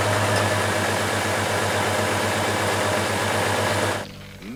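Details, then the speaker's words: 2004 Trailblazer engine at idle, rocking with a miss; ignition coil swapped between cylinders to trace it, still missing but less than before, with a regular stumble three or four times a second: ignition coil misfire. "I can't tell it's still missing but I don't think it's as bad as it was before"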